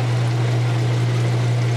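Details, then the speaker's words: Whirlpool washer drain hose extended below the water surface in an under-sink sump bucket with sump pump and float: once air is purged and the line is full, a steady low pump hum with no gurgling or sputter, draining quietly and normally. "it drains nice and quiet. That works so nice."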